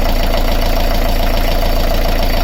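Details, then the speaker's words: Beta Marine 38 narrowboat diesel idling with the belt released while chasing a tapping/rattle; steady, even low diesel thrum with no tapping, rattle or belt chirp. Normal idle. "I'm going to run the engine again. Let's fire it up and have a listen. There's no noise whatsoever. There's no noise."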